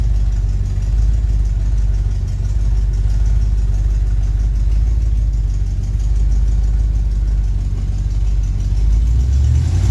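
Deep, even engine drone with no high squeal over it; the belt drive is running quietly and sounds fine.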